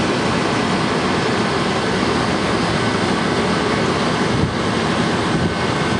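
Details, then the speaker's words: Walk-in freezer condensing unit at startup, head pressure rising 150 to 250 psi while checking the fan control; even condenser fan whoosh over a constant compressor hum, no knocks, running normally. "so we're going to turn it on compressor is on pressure is going up that's 150 175 200 2 and A4 250"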